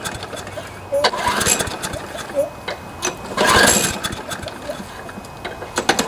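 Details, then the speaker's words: John Deere JS26 push mower with Briggs & Stratton engine after the blade hit something hard: runs unevenly, surging and skipping every second or so, with vibration and hard starting; fuel system cleaned, new plug and air filter; partially sheared flywheel key suspected. "so you can see what i mean it kind of skips every now and then and just doesn't seem like it's running quite right"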